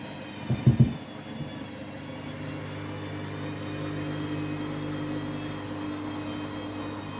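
Steady deep roaring hum through the high-speed spin, a heavy drone louder than a quiet spin should be.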